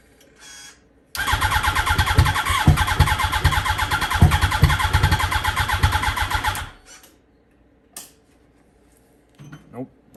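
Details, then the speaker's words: Wrecked 2006 Yamaha R1: starter churns for about five seconds with a few cylinders firing but it never catches; the battery keeps draining, no starting fluid used. "So it doesn't want to start, but it keeps firing a couple cylinders, so I think it wants to start."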